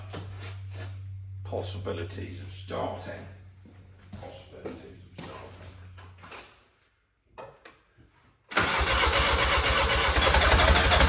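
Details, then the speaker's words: Diesel engine in a recovery truck, with injectors refitted after injector seal replacement, catches after a pause and settles into a loud, rough, helicopter-like chopping clatter; the refitted injectors were damaged. "right so after a bit more invested to theate work we've discovered that a couple of the injectors that were in this engine when it ran right that we took out did the injector seals put them back in that must have killed them that's why it sounded like a helicopter"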